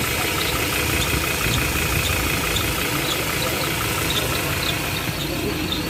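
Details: Ford Ranger Wildtrak diesel at steady idle: constant thin squeaky chirp and gritty hiss that sounds like a bearing, traced to the serpentine belt; belt change.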